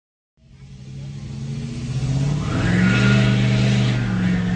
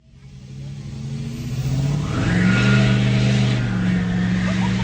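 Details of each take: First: 2017 Nissan Altima SV petrol engine after a cracked exhaust manifold in the engine bay was replaced: cranks, catches and settles into a steady, even idle with no exhaust ticking; normal start and idle after the repair. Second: Exhaust leak on a Nissan Sentra, heard from the engine bay: engine revs with a raspy, puffing blat growing with throttle; first looked like a warped manifold, but a cracked exhaust manifold was found.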